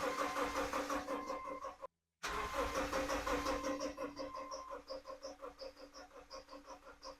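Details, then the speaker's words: Subaru Outback with replacement engine after rod knock, cranking with fuel pump fuse pulled to build oil pressure: even starter churn about three compressions a second, no catches or knocks; engine turns freely without firing, timing seems correct. "well it sounds good cranking over which is very good that means it is probably timed correctly nothing crazy going on"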